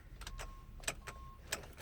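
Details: 2014 GMC Sierra 1500 after sitting off: turning the key gives only faint clicks and a brief chime with no cranking. It acts like a dead battery, but the owner says the battery is not dead.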